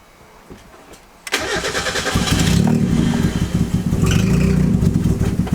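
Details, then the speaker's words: Turbo Miata with the MAP sensor vacuum line left disconnected: cranks briefly, catches, then idles lumpy and uneven with a wandering beat; rough running, which sounded better once the line was reconnected. "My stupid self forgot to hook up the map vacuum line, so let's try this again and see what happens."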